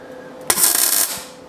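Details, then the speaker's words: Retried MIG tack weld on 1939 Hudson Terraplane rat rod cab after turning the shielding gas on: short crisp, even sizzle without popping or sputter; normal clean tack. "okay let's try again maybe this time I'll get a proper well a little tack"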